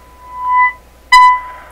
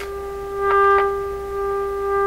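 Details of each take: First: Canadian Westinghouse Model 636 radio, 1000 Hz test tone at about 30% modulation from signal generator, tuning swept through: steady high tone swells and drops twice, sounding harsh and odd; intermittent fault, cause not yet known. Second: Canadian Westinghouse Model 636 radio fed a 1000 Hz tone at 30% modulation: steady mid-pitched tone, fairly even with brief swells; audio output now mostly normal.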